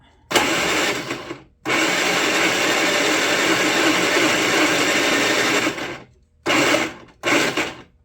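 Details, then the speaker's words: Predator 3500 watt inverter generator on a jump box: several bursts of high, whirring grind with no firing. The starter spins but the engine does not seem to turn over, and nothing shows on the screen. "don't think the engine's turning over yeah maybe it this sure sounds bad"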